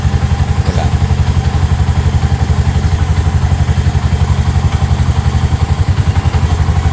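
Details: RE Bajah trike idling evenly with a steady thump at about four beats a second and no misses or knocks; engine idling normally, during a DIY no-start repair.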